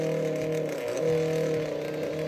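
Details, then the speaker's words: Old electric fan, before oiling, first thought to have a stripped gear: motor hum wavering and stepping up and down as it runs in fits and starts; dry motor bearings, ran smoothly after oil. "it was making horrible noises and kind of running at fits and starts i uh shot some oil in it and seems to be happy now"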